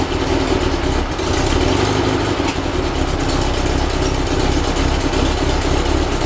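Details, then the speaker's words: Rebuilt 1835cc air-cooled VW flat-four bus engine with vintage speed muffler, first start after rebuild, not yet tuned: even, steady low idle with light mechanical chatter, no misses or knocks; ran with no real problems. "So it ran successfully with no real problems."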